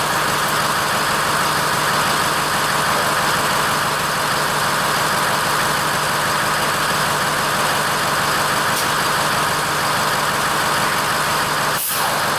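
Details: Ford F-550 6.0L diesel dump truck idling after a dead-battery no-crank, with a jumper cable run from the battery to the frame to test voltage drop (13.5 V): steady, even diesel clatter, no misses or knocks; normal idle.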